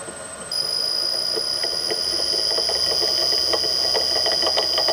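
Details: Millport/Bridgeport mill motor with bearings 6206Z bottom and 6205-2RS top: high steady whine with light ticking about four per second over an even motor hum; rusted, worn out bearings.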